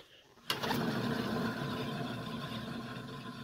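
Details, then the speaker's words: Peugeot 309 GTI raised on jack stands, rear wheel spun by hand: gritty, rumbling whir fading slowly, a worn rear wheel bearing, then replaced. "entend bien qu'il est mort"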